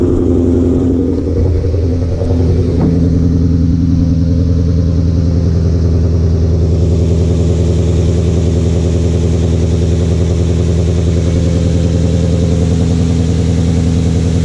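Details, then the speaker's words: 2011-14 Mustang GT after Boss 302 intake manifold, 47 lb E85 injectors and new tune: short blip, then deep, steady, even idle with no hiss or tapping; normal idle, no leaks. "everything's sounding good everything's sounding normal no leagues no nothing that I know of"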